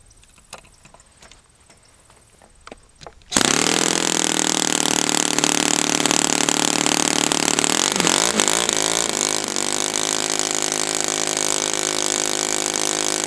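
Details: Brand-new Saito FA-100T twin, final break-in run, restarted still warm without priming or choke; catches instantly and settles into a steady, even high-pitched buzz with no misses or sag. Normal running, called spectacular.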